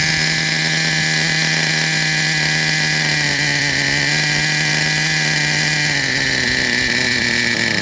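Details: Traxxas Revo 3.3 nitro RC truck, engine good; it still needs a new transmission, spur gear, starter motor and one-way bearing. A high-pitched nitro buzz holds a steady, even note with slight wavering; it runs cleanly and sounds healthy.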